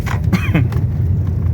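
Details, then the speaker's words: 2020 Honda HR-V at about 48,000 km over cobblestones after replacing the control arms (Nakata bushings) and stabilizer links for a front suspension tok-tok: steady tyre rumble with no knocks. "normal sem barulho tinha um barulho do caramba esse carro aqui tá tá de boa galera"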